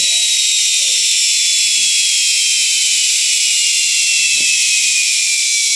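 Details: 6-wire universal motor from front-load washing machine, bench-run with wiring swapped for anticlockwise rotation: high smooth whine over steady brush hiss, pitch easing down evenly, no knocks or rubbing; runs healthy in reverse.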